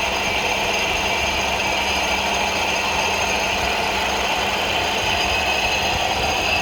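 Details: Ford Focus 2, 2.0 engine running: steady metallic ringing with a fast ratcheting rattle, from the AC compressor clutch knocking and ringing.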